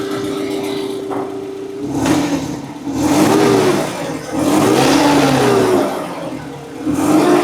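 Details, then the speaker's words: Forklift engine after fitting four new ignition coils and new NGK iridium spark plugs: revs rise and fall in bursts, with a wavering squeak riding each rev. A belt squeak; a loose belt or a pulley is suspected, not confirmed. "So I've got a squeaky belt somewhere. Might be a little loose. Or a pulley or something, I don't know."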